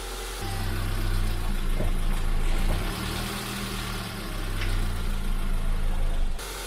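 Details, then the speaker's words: Honda Civic EM2 with D17A2 engine, running after tightening an exhaust valve adjustment; steady low idle with smooth revs rising and falling, no tapping or misses; normal idle and rev. "man tightening up this exhaust valve was made old world of deference this engine sounds fantastic now everything sounds good real good"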